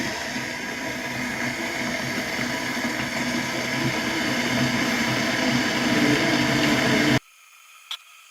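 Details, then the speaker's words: Electric kettle after repair with new switch replacing the broken one: steady hiss builds into a rolling boil then cuts off with a click; now heats fully and switches off automatically. "ඔන්න යාළුවනේ දැන් නම් මේක සුපිරියටම රත් වෙලා තියෙන්නේ. අය අන්න ඔෆ් වුණා. ඉතින් ඔෆ් වුණා."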